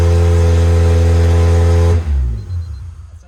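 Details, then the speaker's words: Doge's JDM Honda K24A engine, first start after install, IACV coolant line not yet connected: strong steady low rumble with even firing for two seconds, then shut off and winds down; sounds healthy, throttle cable tight. "Yeah, runs. Tight throttle cable, but Yeah. Yeah, sounds good though. Sounds healthy."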